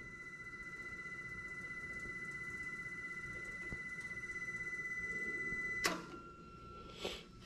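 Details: Ford engine, fuel pump priming just after a fuel filter swap: steady high thin hum for several seconds, then a click as it stops; electric fuel pump pressurizing normally.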